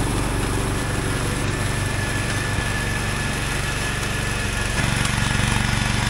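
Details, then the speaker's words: Wheel Horse 416 garden tractor, revived after sitting for years, running with mow deck engaged under mowing load: steady, even single-cylinder thrum with no misses or stumbles, pulling smoothly; engine healthy. "boy it would be awful hard to ask for anything better than that for free runs rides most perfectly"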